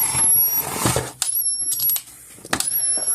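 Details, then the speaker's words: 2004 Gallagher B1200 battery fence charger, case open, which makes it louder, running with a board swapped in from the other unit: high thin tone winds up and holds in repeated bursts over handling clicks, the usual winding-up noise of these units. "and the gallager battery units all did that winding up noise they all did it the small ones are a little quieter the midsize bigger ones were as plus the case is all open off of it so that's one other reason why sounds the way it does"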